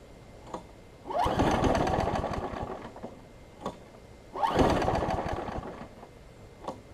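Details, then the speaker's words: Craftsman 6 hp big-wheel front-drive self-propelled mower: catches in short uneven two-to-three-second bursts, then sputters and dies, running rich; owner suspects carburetor, spark plug or flywheel key. "since it's running seems like it's trying to run really rich could be three things one it could be the carburetor two it could be the spark plug and three it could be the flywheel key"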